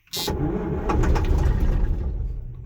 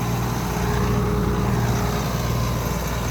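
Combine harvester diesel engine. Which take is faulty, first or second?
first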